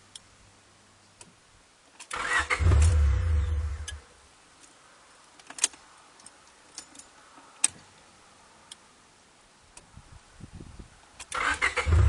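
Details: Honda Prelude 5th generation 2.0 that sometimes fails to start: two short bursts of normal starter cranking, a couple of seconds each; engine never fires, cause unknown.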